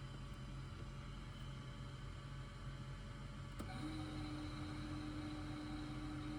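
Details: Climma AC plant after repairs (inverter board swapped, burst glycol pipe and flow meter circuit fixed): even motor hum, then a second compressor starts with a clean steady tone, no rattles; running normally.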